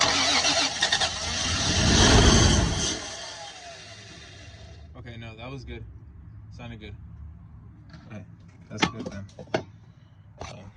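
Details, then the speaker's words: 3rd-gen Toyota 4Runner, no start: starter spins engine steadily about three seconds without catching; starting fluid makes it try to run rough, so no fuel from tank suspected, likely fuel pump, not confirmed. "Once it starts, so it probably has no fuel coming from the gas tank somewhere. Figure it out. Fuel pump most likely."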